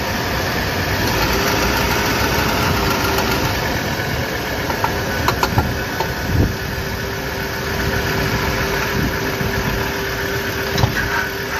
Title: how to bad u joint of drive shaft makes clunking sound